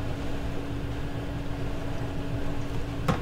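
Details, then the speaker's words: RV dishwasher during winterizing, dial turned to spin cycle running pink antifreeze through the jets: steady low motor hum with faint constant tone and soft click near the end; running normally. "And I'm going to run it now through the jets. Turn it to where it starts to spin."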